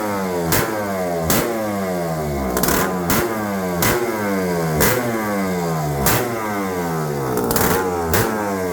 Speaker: 406 cc's, a two-stroke rip, burn, rip your house off the house horsepower with a brand new Kia Air Striker.